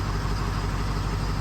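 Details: Ford F450 wrecker, possibly 2005, 6.0 diesel, studded and EGR-deleted, with low fuel pressure and dirty filters: idle with recurring stumble, one cylinder not pulling; code P0273 injector 5 circuit low/contribution fault, dead-cylinder misfire.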